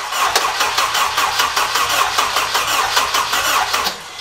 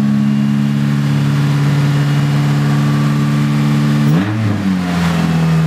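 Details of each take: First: K24 swap engine, open-pipe exhaust, MAP sensor problems and previously running only three seconds at a time: even rapid starter churning at roughly seventy-five beats a minute that never catches; cranks but will not fire. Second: Swapped Honda K24 engine on an open header with no exhaust, wheels off the ground: steady fast idle, blips and settles, pulls clean and even with no knock, slight rattle winding down; normal revving.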